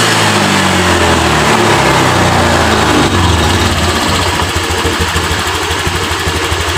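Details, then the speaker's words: Honda Vario 125 LED scooter after idle set to 1400–1500 rpm with injector duration around 2.x ms; revs up cleanly and returns to a steady even idle without stumbling, throttle response now normal after fixing hesitation and stalling. "ini mesin sudah responsif untuk tarikan gasnya jadi langsung kita coba jalan dulu"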